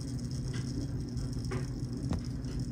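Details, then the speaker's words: Circuit breaker in a home panel, heard up close, with the dryer running upstairs: faint sizzle and sharp crackling pops over a low dryer hum, audible across the room, coming from inside the breaker. Arcing circuit breaker. "the sizzling noise is the bigger concern. Now originally I could hear that noise across the room, and I wasn't quite sure what it was, but as I got closer to my panel, it is definitely coming from within that circuit breaker."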